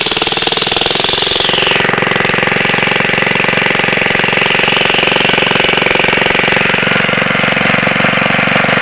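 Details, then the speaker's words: Very old Briggs & Stratton 2 hp four-cycle gasoline lawn mower with a new spark plug, just pulled from the shed after a long while: fast, steady single-cylinder popping at an even pace with no misses or stumbles. Healthy. "This is a really great old machine, and yes, it does run. It runs beautifully. Sounds like a 4-wheeler when it runs."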